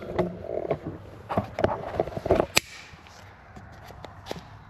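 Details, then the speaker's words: 1980 Corvette adjustable strut rod with under-six-year-old polyurethane bushings near the differential, exposed to exhaust heat: rocking the rod by hand gives irregular croaky creaks and sharp pops as the bushing collapses and crumbles. "You hear it popping, and you can see stuff falling out as we go."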